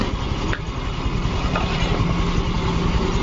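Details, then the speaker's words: Yamaha Fino 125 scooter that ran rough, loud like a loose piston, and would not idle or pull uphill, fixed by adjusting valve clearance without engine teardown; now low, even, smooth idle with no knocking or tapping. "Ternyata ini sepele nih. Enak. motor bisa stasioner normal."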